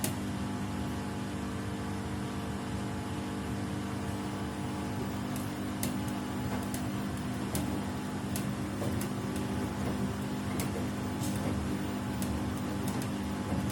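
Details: Samsung WW75TA046TE/SP washing machine, a same-model replacement on its sixth day of use. A steady loud hum with a low drone and scattered sharp ticks. Abnormally loud and worsening each wash; cause unclear.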